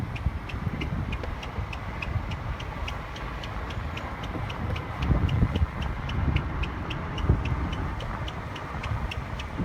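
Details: Car squeaking at about three chirps per second over road rumble as it pulls away in drive, quickening as it accelerates and stopping when stopped; wheel area, owner suspects tires, on the way to a mechanic.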